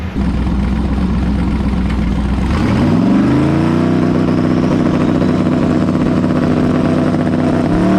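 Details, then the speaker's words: Mustang built for Pinks drag racing at Rockingham Dragway, test hit: engine pulls hard and climbs in pitch, then falls off and sags as boost builds, repeatedly losing power. Car shuts off every time it gets into boost; cause unconfirmed. "The car is just shutting off when it gets into boost. Every single time. Every time. I don't get it."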